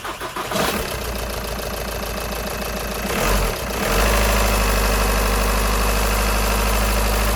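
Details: VW Sharan 2.0 TDI (CFFB) diesel after fuel filter service and bleeding, no water found in filter: cranks, catches around three and a half seconds, then settles into a steady, even idle with no stumble; runs healthy.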